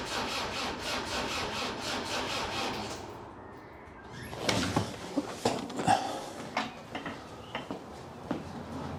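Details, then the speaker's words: Land Rover Defender 300 TDI diesel, first start after swap to lower-mileage engine with new timing gear and belt: slow cranking about three seconds, never catches; fuel not primed, diesel needs pumping up, compression sounds good. "we need to get some diesel up. Uh that needs pumping. Now, I'll pump some more diesel up and I'll give it another go. Sounds a bit slow on the starter, but it sounds like it's got good compression."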